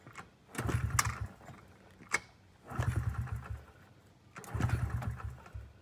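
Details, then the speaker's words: 2009 Honda CRF50F pit bike not started in 2 years, kickstarted with the choke left on too long and flooded. Slow kicks each give a brief sputter that never catches; took 6.5 minutes to start. "So, my mistaken error, I left the choke on too long. That's why it was taking me 6.5 minutes just to kickstart that bike."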